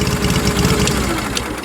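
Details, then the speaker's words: Fired right up but idles low and loping with uneven thumps, sounding like a Harley. Cause not identified. Uneven lumpy idle. "lift the blade up this is your drive here it sounds like a harley"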